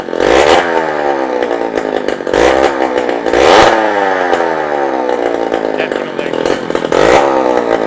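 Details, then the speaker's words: 48-year-old Yamaha DT100 100cc two-stroke with exhaust off: open crackle, climbs sharply through repeated blips and falls back, idle still too high; confirms restriction is a piece welded in the back of the exhaust, to be replaced with a free-flowing one. "it's definitely the exhaust so we've got to do is take that to a fabricator have the piece that someone's welded in the back of it taken out and replaced with something that's free-flowing"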